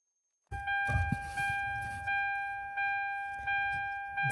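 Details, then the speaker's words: 2008 Hyundai Sonata, 136,000 miles: steady key-on warning chime about every 0.7 seconds, sounding once the ignition switch connector is unplugged while replacing a faulty switch blamed for starter grinding in Park or Neutral. "you're gonna have to ignore that beeping sound because you don't want to change where the key position is"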